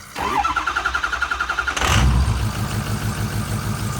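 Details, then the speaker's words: 2006 Ford F350 6.0L Power Stroke diesel after a new Motorcraft fuel pump, fuel air purge and key cycling: brief even cranking, then it catches and settles into a steady, smooth idle; it previously had no power. "that sounds completely different that sounds good the reason I did the fuel pump is cuz I had no power"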